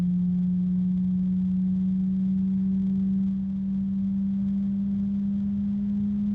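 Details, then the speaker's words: ID-Cooling DashFlow 360 XT Lite AIO radiator fan at maximum speed: steady low hum with a faint, thin higher tone over it, a very quiet harmonic blade resonance. "There are some harmonic resonances, but they're very, very quiet. That's the first one that I was actually certain about."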